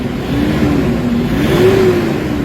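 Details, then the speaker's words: Toyota Hilux D40 diesel with low power, throttle delay and a faulty turbo actuator, after XADO nanotechnology engine treatment: revs pick up smoothly with a firm, even rise and no flat spot. The engine now comes on around 1,000 rpm instead of 3,000. Normal rev response. "Kanina yung galit na yun maririnig mo sa 3,000, pero ngayon maririnig mo na into 1,000."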